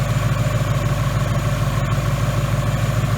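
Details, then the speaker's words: 2018 Mustang GT 5.0 replacement engine with forged pistons, about 300 miles, still on break-in oil, oil warm: smooth even low burble at steady idle, quiet high-pressure fuel pump, no ticks or knocks; normal warm idle. "totally up to temperature but I would say that the oil is probably up the temperature right now but I will say she sounds good"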